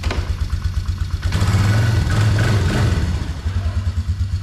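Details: 2004 Polaris Trail Boss 330 ATV bought at auction, no reverse gear and water in fuel system, temporary longer air cleaner fitted; single-cylinder thump at idle, briefly revved and dropping back to steady even idle, first start during repair; sounds healthy, normal running.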